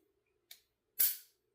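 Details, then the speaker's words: Pistol functions check with dummy round: trigger pulled, one sharp metallic click as striker snaps forward onto primer, no drag or double strike; trigger reset felt rather than heard; normal striker function. "So, from here, I'm going to go ahead and pull the trigger, and you will hear the striker going forward, slamming into the dummy rounds primer."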